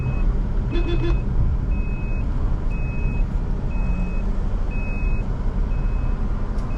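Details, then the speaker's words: Maruti WagonR CNG taxi while driving, head-mounted camera: GPS tracker's emergency SOS panic alarm beeping about once a second, stuck on; driver says it triggered by itself without pressing the button, unsure when it stops. "Sound എപ്പോ നിക്കോന്നൊക്കെ അറിയാ, അതും അറിയില്ല. ഗ്രൂപ്പിലെ പിള്ളേരോട് ചോദിച്ചു നോക്കായിരുന്നു ഇത് എപ്പോ നിക്കോന്ന്."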